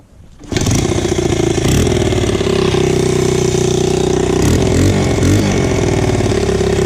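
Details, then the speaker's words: Hot motorcycle after further tightening of exhaust: catches and runs steadily with sharp puffing tick on every firing pulse, heard up by engine; exhaust leak at header persists. "She has a leak still. She still has a leak. I still hear it up by the engine."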